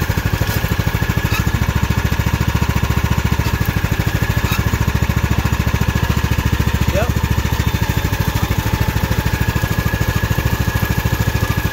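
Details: Craftsman hydrostatic riding mower after the repair (plastic shields removed), idling while the pulleys underneath are checked: a steady, even single-cylinder thump with no squeal or knocking. The earlier loud noise is gone, and it sounds healthy.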